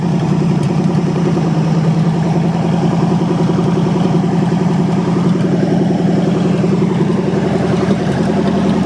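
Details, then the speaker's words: 1963 Allis-Chalmers loader with 1978 Monte Carlo 305 V8, first run after 5.5 years, warming from cold: steady even idle with regular low thump, no knocks or misses, everything working good; normal idle. "Everything's working good."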